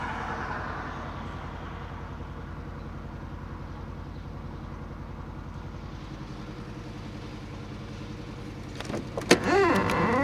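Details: R53 MINI Cooper S idling with a cylinder 1 misfire: steady, slightly uneven stumbling beat about four per second; zero compression on cylinder 1, timing chain slack on right side and guide rail broken.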